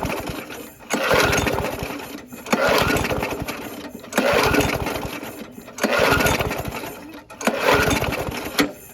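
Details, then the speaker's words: Abandoned Yard Machines (MTD) push mower, 4HP Quattro Briggs & Stratton, first start on two-cycle mix plus carb spray: fires in short bursts, coughing and dying; oil in carb from tipping, oil out exhaust, owner hopes not bad rings. "some carb spray maybe there's a little too much oil all right well it run we got a good coil"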